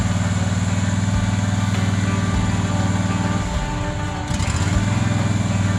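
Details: John Deere Z425 with a swapped-in donor twin, after replacing a blocked fuel line: steady, even thump about four beats a second with one brief stumble. Fuel is reaching it and it runs fine.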